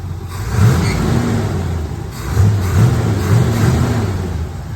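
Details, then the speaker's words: C3 Corvette that died with no spark, just after replacing the four-pin ignition module: engine catches and runs on its own, a couple of throttle blips rise and settle cleanly with no misfire or stumble; normal running after repair. "Oh, baby. She runs. She runs."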